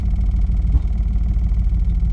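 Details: 2007 Dodge Ram 1500 HEMI pickup after replacing upstream and downstream oxygen sensors and clearing codes: low uneven idle rumble with a sharp pop; still running rough and backfiring, possibly clearing the exhaust, check-engine light still on.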